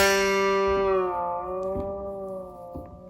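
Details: Guitar plain string that creaked at the nut, after the nut slot was cleaned and lubricated: one clean plucked note rings out and fades smoothly with no creak or tick; the string now moves freely in its nut slot.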